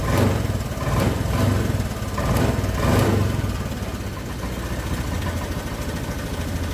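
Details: Honda Vario 125 scooter that stumbles on cold start and won't idle cold but runs normally hot: compression restored by flushing, throttle body cleaned. Steady low putter holding an even warm idle without dying after 3 minutes; still stalls once or twice in the mornings.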